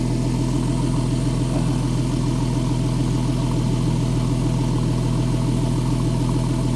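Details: Porsche 911 (997S) idling after replacing the serpentine belt, the bad tensioner and the bad tensioner lever; belt deflection is minimal. Steady, even idle with a smooth low hum and no chirp, squeal or slap from the belt: normal idle.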